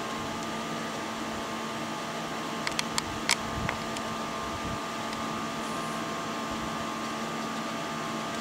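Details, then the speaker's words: Power Mac G5 with 8 GB RAM booting a Linux live CD; the fans run very loud, a steady airy rush with a constant high hum, even with no rattles or grinding. "runs the fans like [ __ ] crazy woo look at all these goodies"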